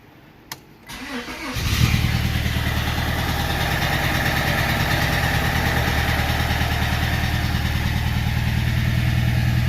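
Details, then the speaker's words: Honda with 179,000 miles, runs a little rough; scan shows codes P0303 and P1399. Cranks and catches, then uneven idle with lumpy stumbling beat about three times a second: cylinder 3 misfire. "You can see her or hear that she runs a little rough."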